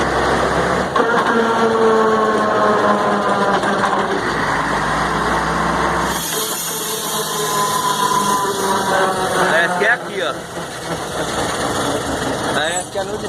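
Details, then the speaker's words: Mercedes-Benz 1634 diesel truck in gear, recorded from on top while driven, noisy only when lifting off the throttle; gearbox, differential and engine had been checked: engine drone with a whine falling in pitch while coasting off throttle; seems to come from the differential. "isso aqui fazendo barulho engatado só quando tira o pé acelerad ele revisou o câmbio diferencial e o motor"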